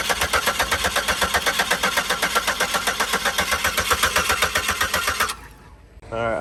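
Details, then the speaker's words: 2004 Buick LeSabre that sat for years, after new plugs, wires, coil packs and mass airflow sensor: steady starter cranking, about four beats per second, never firing; no fuel suspected, fuel pump suspected, replacement on the way. "don't think we got fuel. Blake's got a fuel pump on the way, but we're gonna check spark just to make sure that we got some."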